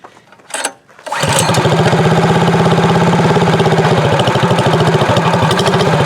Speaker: Listen to that muffler. You know this thing's going to be like really loud.